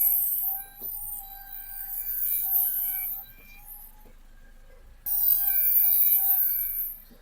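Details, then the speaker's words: Car rolled backward and forward: high metallic squeal with ringing tones starting and stopping; brake pads very low, metal wear indicator rubbing the disc. "see that's the noise it's making and also you can see this brake pads very low"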